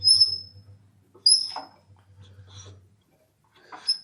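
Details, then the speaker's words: Old Kohler K181 (about 8 hp) engine off a log splitter, left outdoors for years, turned slowly by hand: high thin squeaks once or twice per turn as valves move; owner concerned about weather damage and plans to remove the head to inspect. "These are moving up and down. I can turn it and the valves will go up and down on it. But if you notice, you can hear this squeak."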